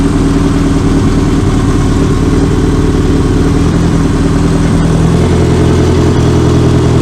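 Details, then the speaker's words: 1984 Honda Gold Wing, first start after a carburetor rebuild and diaphragm repair, with no coolant in and the timing cover off: smooth, steady low idle with an even beat and no misses or knocks. "And there we go. Looks like it's running pretty well."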